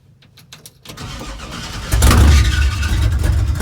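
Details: 1970 GMC with big-block V8, sat 10 years, first run in shop: starter cranks, catches into lumpy uneven idle with irregular beat, a miss at idle; cause not yet found. Starter also keeps running after start and transmission slips in reverse.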